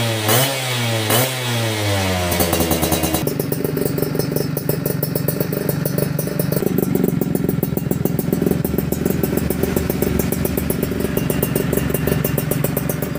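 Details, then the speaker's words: Yamaha F1ZR Millenium two-stroke (YP2 block) during a teardown and restoration, original manifold rubber with a chicken feather found inside; quick clean blips, then a crisp rapid even crackle; normal healthy running. "Nah ini guys, renyah suaranya ya."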